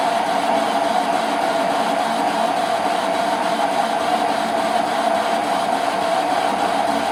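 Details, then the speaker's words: Parting cut on lathe/borer in unknown material, likely hydraulic rod, after a failed hacksaw start: steady even cutting hiss with constant tone, no chatter; cutting smoothly. Smooth parting cut. "That's where I started to cut it with the hacksaw first and realised my error. But it's cutting quite smoothly."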